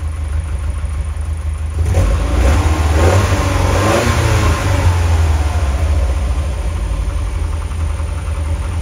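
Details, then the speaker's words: Lotus Elite after idle adjustment: steady even low engine note with brief clean rev blip settling back smoothly; engine runs much better. "now that sounds much better to me"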